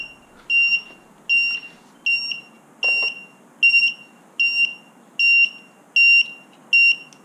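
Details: FPV quad on Betaflight, hovering in angle mode while being trimmed with stick commands, sounds steady high-pitched beeps a bit over once a second. This is the flight controller's low-battery voltage alarm, meaning the pack is spent.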